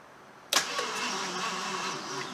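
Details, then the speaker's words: Barn-find 1975 AMC Matador Oleg Cassini, not run in 30+ years, weak battery; retry after it briefly fired. The starter churns steadily with a few weak catches but no sustained firing: cranking without starting. "let's try it again see if it'll crank over and fire come on baby you want it you want it i can hear you trying i can hear you trying"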